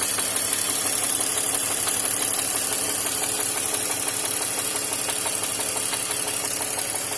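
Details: BMW X5 E53 with M54 inline-six at idle: sharp metallic knocking about three per second riding over the engine; connecting rod knock.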